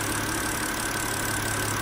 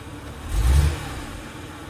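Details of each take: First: 2006 BMW X3 E83 petrol six-cylinder after replacing the faulty cylinder 3 ignition coil (misfire fault code 29CF): smooth, even idle with a steady hum and no stumbles or dropped beats; no misfire, all cylinders firing cleanly. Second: 2006 BMW X3 E83 petrol six-cylinder misfiring occasionally at idle: low rumble that swells and stumbles about every two seconds. Scanner shows cylinder 3 misfire, fault code 29CF; the coil pack was replaced.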